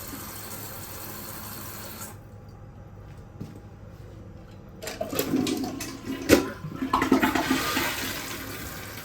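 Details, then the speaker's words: Kohler toilet after fill valve replacement, tested by flushing: a rush of water, then a quiet uneven trickle as the tank refills, with no squeal. Previously the squeal came from the shot valve; the supply hose still leaks. "But for right now, I don't hear any squealing."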